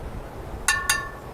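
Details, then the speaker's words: Chevy truck flywheel tapped before torque converter and transmission install: two sharp metallic taps ring clear with a lingering tone, no dull buzz; flywheel sound, no crack. "sounds Hollow so that's good that's something I would check"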